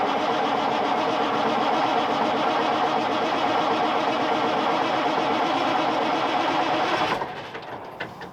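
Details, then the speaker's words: Cummins Big Cam IV truck at -6 °C, block heater not plugged in, clutch in: even starter cranking about three beats a second for seven seconds, then a stop without firing. This is a deliberate short crank to warm the cylinders before restarting. "One thing I like to do when starting a truck when it's a bit cold out, crank it over for a little bit and turn it off. Just let it sit."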